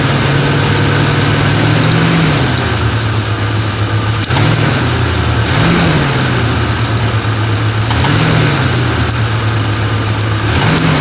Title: стучит двигатель на гранде , 4 литра 1994 год, видео 2